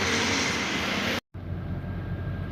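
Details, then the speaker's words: Nissan Sunny test drive after repair of a speed-dependent humming and vibration; at higher speed only even tyre and road rush, no droning hum that previously grew loud by 100; normal wheel bearing, no hum. "अब आप सुन सकते हैं कोई humming sound नहीं आ रही [संगीत] है तो बिल्कुल क्लियर है पहले इतने में बहुत आ रही थी"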